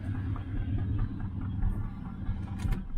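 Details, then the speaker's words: 1968 Chevrolet Nomad V8 at idle: a low idle with an uneven, stumbling beat and occasional dropped pulses, heard on the left bank and felt as a shake when cruising; misfire source not yet found. "so she it sounds great right sounds great but there's a Miss in it you can tell you hear that side let's say you can hear something there which is a left bank"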